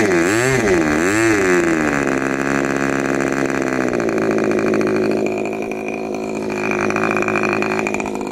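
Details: Rebuilt K&B 40 model 4011 (new bearings, ring, gaskets, hand-honed), 10% Coolpower plus 4% castor, Master Airscrew 10x6 prop, exhaust leaks at muffler: quick revs then steady high scream, no misses; healthy.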